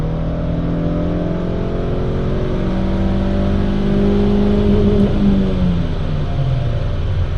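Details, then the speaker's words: 2002 Honda Jazz 1.4 (1.3-litre engine) on a dyno at full throttle pulls hard with a smooth, steadily rising note and no rev flare. The clutch, which slips on other runs, is holding on this one. "Now it's starting to bite. Now I'm flat out. Clutch isn't slipping, it's fine."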